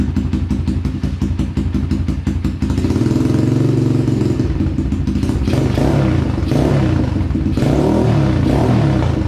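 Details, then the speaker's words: Apollo DBX-18 small dirt bike after replacing stripped transmission gears, case, cylinder and head gaskets: cranking, then the single catches and settles into a steady putter with a rev blip and no earlier gear rattle; running healthy. "Good sign. I don't hear the rattling that was going on before, so we'll strap up."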